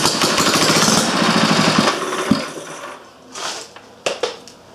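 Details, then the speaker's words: Briggs & Stratton Model A engine number three, oil pan cleaned, fresh oil added and primed with a squirt of fuel; pops into life with quick, even firing at about four beats a second, then dies away. Normal running. "keep going run so it looks like gonna get three out of it"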